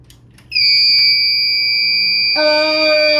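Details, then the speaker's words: Retro 2006 gaming PC (Core 2 Duo E6600, triple 8800 GTX SLI), first power test with no CPU cooler and no CPU power connected: a loud, steady high-pitched tone lasting about three seconds at power-on; owner suspects the missing CPU cooler or power, or possibly a dead PSU fan. "So something is not happy. I think that much is true. What is that? So I believe that is because there's no CPU cooler or power going to the CPU."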